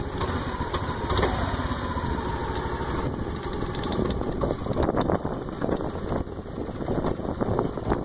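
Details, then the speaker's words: Honda Activa 125 scooter with only 115 km, idling with a light, irregular clicking over its steady running note; source unknown. "What is this strange sound? It has only run 115 kilometers and you can hear the sound coming out from, I don't know, from where it is coming."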